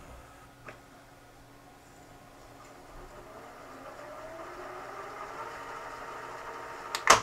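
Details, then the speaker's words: Sanyo FWZV475F (Funai/Symphonic) VCR after replacing its bad capstan motor with a used one from a scrap unit, 4700uF 6.3V power-supply capacitor replaced, mode switch cleaned; soft motor whir rising in pitch, smooth run, click at end: normal fast forward. "rewind all right well there it is up and running"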